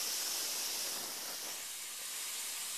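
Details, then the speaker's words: VC4 vacuum clamp holding a workpiece with air on: constant, even hiss of air through the venturi with no sputter or pitch change; modest flow rate, workpiece firmly held. "Now you can hear that's constantly letting air through, but it's not a great flow rate, and it's probably noisier on camera than it is in real life."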